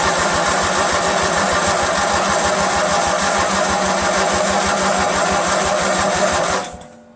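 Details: Rebuilt Briggs 46 opposed-twin engine on a Craftsman LT1000 lawn tractor, first start on carb cleaner with break-in oil: catches with a fast, uneven pulse for about six seconds, then cuts out. Lots of fuel comes out; carburetor suspected to need cleaning.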